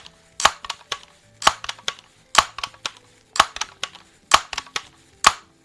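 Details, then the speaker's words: Air rifle pump shooting .177 pellets, pump strokes about once a second each ending in a short squeaky clatter: squeak shows the cup is sealing well in the tube and forcing air in at the end of the stroke. "that kind of tells me that when I hear that squeaking noise I know that it's really making a good solid uh connection there in the tube and really forcing that air in towards the end of the pumping"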